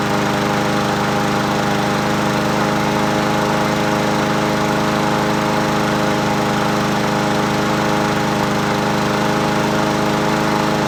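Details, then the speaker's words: Husqvarna 7021P 21-inch push mower with Honda GCV160 petrol engine, unused for two years, original OEM carburetor cleaned rather than replaced, plug cleaned: steady even drone without misses, surging or hunting; running smoothly after revival. "She sounds good. It's original OEM carburetor, baby."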